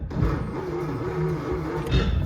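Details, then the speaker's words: 1937 Nash Ambassador 6, parked since 1961 (63 years), cranked with the cab starter switch: slow, labored starter churning with a low uneven rumble and no firing. The engine turns over freely. "so the starter but or starter button is right up there and uh she turns over so that's awesome"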